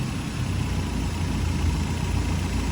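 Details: Rebuilt Toyota 22RE engine in an '85 4Runner after engine replacement, idling during timing check: steady, even low idle, no knocks or misses, dropping slightly as expected when the timing terminal is jumped.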